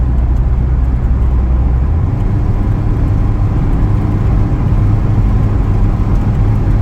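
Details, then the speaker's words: Car after water pump replacement, warm engine after a couple of miles of driving: low steady drone that stumbles and briefly changes note about two seconds in when accelerating; sputter under acceleration, owner suspects heat soak, cause unknown. "you hear that little sputter, right? I don't know what that is, but that only happens when I drive after a couple of miles and the engine is warm, you know?"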